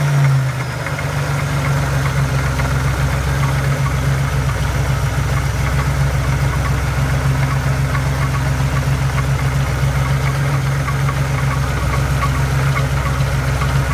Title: Knocking sound?